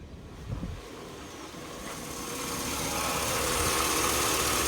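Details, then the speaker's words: 2002 Chevy Avalanche 1500 5.3L V8, warmed-up idle: a steady quick tick of about three to four a second on the right side, diesel-like and worsening over a year. Knock source unclear; the owner likens it to an F-150 cam phaser. "[Music] got a pretty good knock I don't know whatever that is if you guys know what that noise is it's warmed warmed up"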